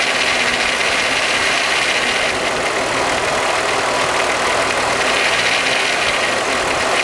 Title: Timing Chain Noise 12v VR6 VW